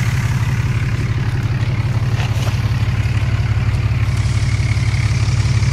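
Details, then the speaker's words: Dodge Cummins diesel after CCV delete, just started: deep idle with steady light rocker chatter, louder than before; valve lash needs adjusting. "it's louder you can hear the chatter of the rockers i need adjust those"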